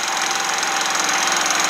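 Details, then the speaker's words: Harbor Freight Predator 3500 inverter generator with a light plugged in, output about 124 V: even fast buzzing engine note holding steady under light load, no hunting or surging; running well. "once again this is 120 bulbs and it looks like it's awesome and it runs good"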